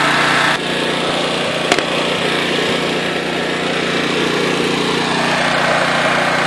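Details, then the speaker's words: Honda EX800 generator after tune-up and governor adjusted toward 60 Hz, with a tool running in the background: steady even buzz under load, no surging or missing; normal running. "hi boys she seems to be running good I mean it's a exe 800 so it's only rated for 800 watts but I think it's gonna work for what I want to do"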